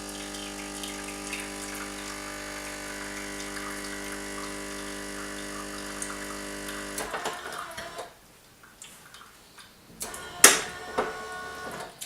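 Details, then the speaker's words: Bosch TES50129RW_BK bean-to-cup coffee machine making an espresso: steady hum as the heater heats water (under 20 seconds) and pumps coffee through at bar pressure, then quieter gurgles and clicks; normal heat-up and brew. "what you're hearing now is the heater which will heat the water up it takes no more than 20 seconds to heat the water up and then push the coffee through at the required bar pressure"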